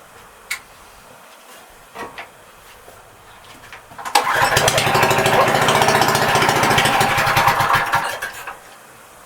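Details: Neglected, dirty Honda GX160 on a non-running Marketplace Doodlebug DB30 minibike, first crank before rebuild: it catches and runs about four seconds at an uneven, stumbling pace, then dies. Rough running, possibly fuel-related.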